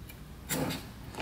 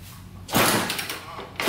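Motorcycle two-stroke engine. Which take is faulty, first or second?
first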